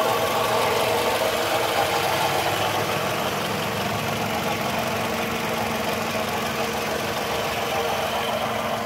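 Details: 2002–2005 Toyota Camry, just bought, engine at idle, under the hood: steady idle with a fast, fairly even tapping about three to four per second; owner unsure if normal, source unidentified.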